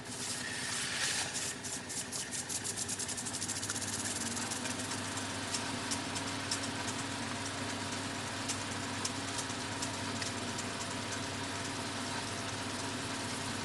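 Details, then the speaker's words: Reel-to-reel tape recorder rewinding: quiet whir with rapid rough ticking chatter and faint rising whine; owner finds noise horrible, unsure if faulty. Rewind mechanical noise, cause unclear. "we're going to rewind now that noise is quite horrible"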